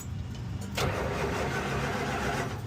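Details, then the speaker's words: 1965 Dodge van sitting for years, first start attempt: brief crank, catches and settles into even, steady idle with no misses or knocks. "Oh my god, it sounds good."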